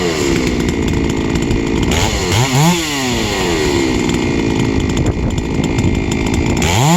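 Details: Three-year-old Huztl-based MS660/066 mill chainsaw, ported 56mm cylinder, fired up after in-field clutch replacement: strong, clean two-stroke scream that drops and sweeps back up crisply on throttle; revs freely and runs healthy.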